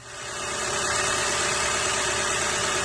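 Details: 2018–2021 VW Tiguan petrol engine idling evenly after the failed motor mount was replaced, fixing idle shake; steady hiss and hum with no knocks, shake or rattles.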